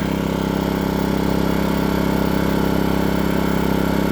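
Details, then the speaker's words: New Power Smart 3800 W dual-fuel inverter generator on its first break-in run, idling with no load and the eco idle control off: smooth, even, quiet engine hum at a steady speed with no knocks or surging, a normal idle. "Okay, folks. I finally got it. You hear it running. It's uh really quiet. That's not even with the uh idle control on the echo to make it quieter. So, folks, that's pretty impressive how quiet it is."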